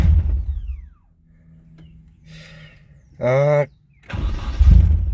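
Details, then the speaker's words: Nissan 240SX after fuel line replacement, second start attempt: fires, runs about a second and dies, then restarts; runs with gas but won't idle. Idle air control valve being adjusted. "okay still won't die though um if we give it some gas it'll it'll run okay"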